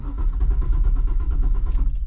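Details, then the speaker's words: Cammed, rebuilt LS1 SS Commodore V8, cold, untuned; uneven lumpy rumble as it catches after cranking, then dies within two seconds; won't idle without throttle holding rpm above 1,000; hard cold start, stalls. "it's not going to start, as you can see, unless I give the accelerator a tiny little bit of pressure to let a little bit more air through the throttle body."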